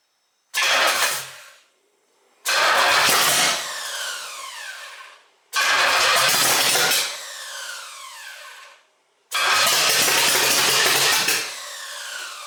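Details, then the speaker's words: 1968 GTO with a rebuilt Pontiac 400 (Butler 461 stroker, Comp Cams, hydraulic roller lifters) on first start after 18 months, run on mixed gas. Four cranking bursts that start to catch and then die. Ignition timing is clearly off. "all right pretty obvious the timing is off i use mixed gas so if you see a lot of smoke that's what that's from"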